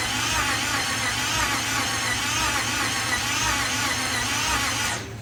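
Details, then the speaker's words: '67 Ford F100 with a swapped 5.7 Hemi fitted with Eagle heads, first start attempt: sluggish, uneven starter cranking that never catches; the battery is down to nine volts and too dead even when jumped. "yeah and the battery's too dead it's down to nine volts so we're gonna have to charge it probably jump it"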